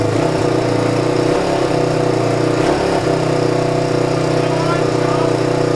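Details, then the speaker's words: 1997 Suzuki DR350 single-cylinder dirt bike, neglected and hard to start, on choke: uneven thumping beat with stumbles; still rough running, owner suspects the missing carburetor accelerator pump. "seems about the same you have to make me promise that if it's not better I need to forget about it and move on"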